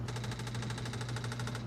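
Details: Apple IIc just after the 32K ROM upgrade (ROM 255 to ROM 0), powered back on: rapid even buzzing clicks, about a dozen a second, for over a second, then a clean stop; internal floppy drive booting normally.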